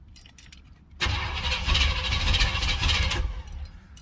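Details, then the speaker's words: 305 H.O. small-block Chevy on its first cold start of the day at 61°F, with the choke open and one pedal pump: it cranks, catches for about two seconds with rough, uneven firing, then dies. Hard starting that won't keep running. "started up after one pump but didn't stay started try it again"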